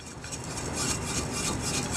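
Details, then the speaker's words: Shaking the removed large stock resonator from a Mazda 6, taken off during a custom 2.5-inch straight-pipe exhaust build, gives a gritty, loose rattle and clatter of pieces tumbling inside; debris loose inside the resonator, not supposed to sound like that. "you hear that there's a bunch of stuff inside of it they're not supposed to sound like that"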